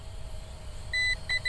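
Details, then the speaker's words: SMRC M21 220 g GPS drone in flight, well under 30 minutes airborne: one long high beep then short repeated beeps over quiet hum, with rapid light flashing; owner suspects a low battery warning. "That's probably a low battery warning there. So I'm sure you guys can see there's no way we've been in the air for 30 minutes. It's just telling me that the battery's getting low."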